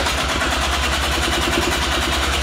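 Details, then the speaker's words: Quad two-stroke rebuilt with a 3D printed carbon fiber piston fires and pops roughly about ten beats a second on first start, barely running and won't settle; choke position uncertain. "oh come on baby come on it sounds good yeah prob oh oh oh my gosh okay it started to run there come"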